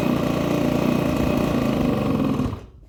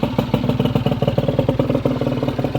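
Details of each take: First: Honda Vision scooter first start after new barrel, piston, head and crank, cold: buzzy, uneven idle fades and dies after about 2.5 s; it stalls until warm unless throttle is held, owner suspects carburetor adjustment is needed. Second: Honda Vision scooter just after barrel, piston and cylinder head replacement and new crank, first idle to bed in the rings: quick, steady pops, no ticking, the earlier tip-tip-tip ticking now gone; normal idle.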